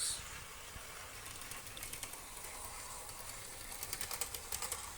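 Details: Model railway loco, after snipping protruding piano wire that caused scraping: light rhythmic wheel ticking over rail joints, no scraping, running smoothly.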